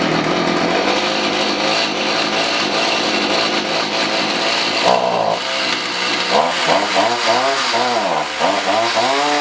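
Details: Stihl HS45 hedge trimmer after carburetor work (new gasket, primer bulb, needle), run on fresh non-ethanol fuel, primed and choked: the small two-stroke catches and buzzes high, rising and falling cleanly with the throttle, with no misfires or stalling.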